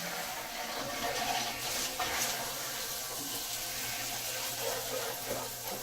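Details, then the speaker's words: Newly installed well pump just switched on after wiring: continuous hiss and gurgle of water through pipes, no grinding or rattling; delivering water normally. "Whoa. That sounds to me like there's water flowing."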